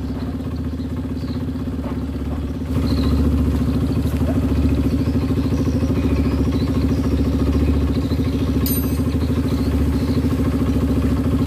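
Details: Honda CRF150 after a new rebore, previously rough, now idling after the blocked oil passage (covered by the gasket) was sorted: an even, steady single-cylinder thump that picks up slightly and holds smooth, with no top-end rattle. Oil flows freely.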